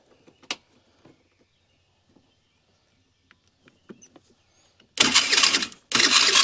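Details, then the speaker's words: 50cc Ice Bear trike scooter with a no-start, spark confirmed, vacuum leak suspected; while cranking, two harsh rasping bursts of under a second; sprag gears (one-way clutches) on the starter suspected going bad; starter grinding. "sounds like we got some spray gears going bad on the starter they're little one-way clutches"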